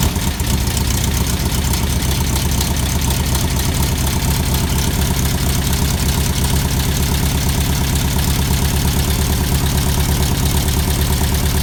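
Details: 1641cc air-cooled flat-four after a top-end rebuild with ported heads, first start on a floor stand without cooling tins: deep, even thrum at a steady idle with no knocks, misses or hunting; runs cleanly.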